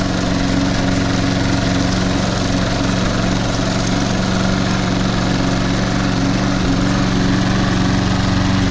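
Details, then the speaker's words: Toro Super Recycler SR4 mower, model 20092, on a January cold start; it recently refused to start in snow but started right up today. Steady, even drone with constant pitch and no stumbling: normal running. "It's my favorite lawn mower here. Started right up. So, all three Toro started up."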